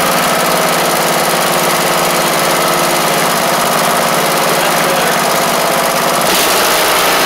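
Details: MTD Craftsman LT1500 riding mower with a swapped-in new engine, after bending the governor: loud, steady single-cylinder beat at even speed with no knocks or hunting; the governor now holds a sensible, healthy speed.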